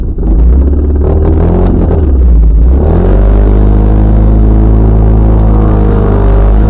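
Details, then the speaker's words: Mazda MX-5 NB 140 after three trackday sessions: deep, heavy, uneven rumble at idle, near stalling, hard starting. It is missing on two cylinders; the owner suspects ignition coils. "c'est prêt à caler ça tomne sur une patte même là je crois c'est même plus sur trois pattes c'est sur une [Musique] patte"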